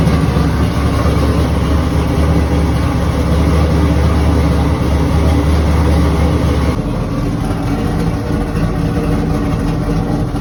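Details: Built Trans Am after fixing a no-start caused by an exposed red wire: strong deep note running steadily, then easing to a smoother lower rumble. No misses or knocks; runs normally.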